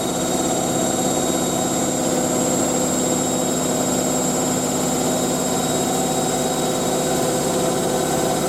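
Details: Hotpoint 9530 Electronic 1000 Plus washer spinning a large towel load after a boilwash: steady even high-speed spin, constant hum, no thumping, banging or slowing; drum running smoothly and balanced.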